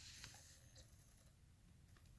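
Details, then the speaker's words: Sony D-15 Discman after repair, powered with the jack held at an angle. Faint soft whirring and light clicks as the disc spins up quietly and smoothly; audio, track skipping and all buttons work. "starts right up though you can see there you can hear the uh audio works perfectly"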